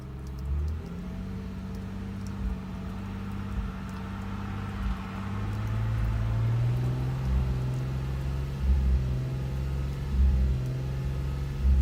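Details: Subaru 3.0R at low idle with an uneven, stumbling pulse: bank 2 misfire with codes P0302, P0304 and P0306 despite new plugs and good EGR, fuel pressure, PCV and MAF; compression read 150 psi on all cylinders, possibly a bad gauge.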